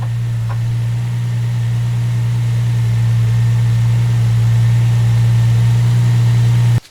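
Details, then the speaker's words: 2007 Ford Mustang V6 after replacing the belt tensioner pulley assembly (Gates): idles with a steady low hum and no squeal or chirp from the belt drive; squeak fixed. "all right so as you guys can see I don't know if you can hear me but there's absolutely no squeaking noise left in the car"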